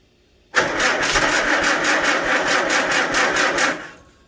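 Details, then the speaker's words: Farmall Super A tractor after the magneto was reset and timing corrected, now with a muffler fitted. It starts and settles into an even, steady putter with no misses, and is much quieter than before. "So will it run? Yes, it runs, and it sounds beautiful. All right, well, it's a lot quieter with that muffler on there."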